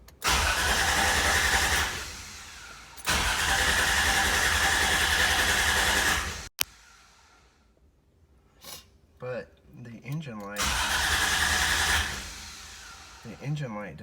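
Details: 1995 Toyota 4Runner 3.0 that died after a stop: starter cranks steadily twice for a few seconds but never catches; new coil fitted, igniter ordered, check-engine light off, owner suspects no ECM signal or bad ECM.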